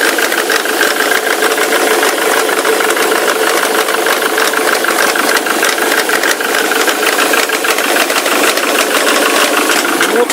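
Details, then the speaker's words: Ford Mondeo Mk3 turbo-diesel at idle: a constant rapid, even metallic rattle over the engine, heard from the left side like a loose chain; engine smokes heavily, soot when revved; knock source unclear. "весь звук именно слева идет, как будто где-то цепь. Все отсюда."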